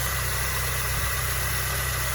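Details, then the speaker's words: Peugeot Partner at idle after replacing the damaged tensioner bearing and fan belt pulley bearing with a new timing belt, oil changed and clutch replaced: smooth, steady idle with an even low hum, no whirr, squeal or rattle; normal idle. "udah normal ya. Berarti lahar tensioner sama lahar panbel rusak, kalian diganti timing belt. Suaranya sudah halus."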